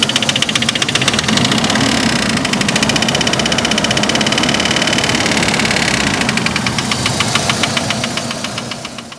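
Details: 2003 Chevy S10, 2.2 four-cylinder at idle: sharp, rapid knock about three per second, started after new plugs and wires were fitted in correct order; engine knocking, cause unknown.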